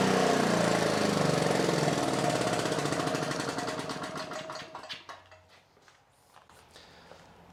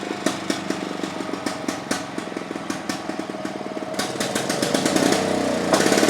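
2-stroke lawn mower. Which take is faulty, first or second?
second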